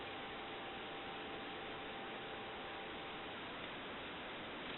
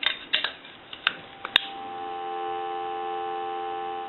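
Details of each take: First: AE Monophone rotary desk telephone with handset lifted on the analyzer: faint steady tone barely above the hiss, far too quiet for a dial tone, because this receiver capsule is nearly shorted; the other capsule plays noticeably louder. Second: AE Monophone rotary desk telephone with a replacement receiver capsule in the handset: after handling clicks a strong, steady dial tone, unlike the nearly shorted original capsule; the receiver works normally.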